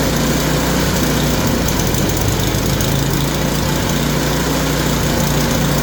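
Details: Yard Machine snowblower small single-cylinder engine, bought locked up, flywheel teeth suspected ground down so converted to pull start, after adjustment: steady, even running with no misses, surging or knocking; sounds healthy.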